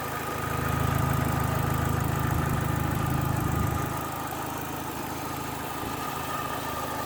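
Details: Opel Astra H GTC 1.8 with automatic transmission, idling: a petrol engine with a light, steady tick repeating about three times a second.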